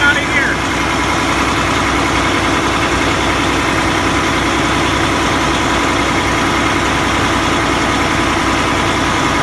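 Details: Diesel engine at idle: a rapid puffing hiss over the diesel clatter, pulsing with each firing; exhaust is leaking at the DOC (diesel oxidation catalyst) housing.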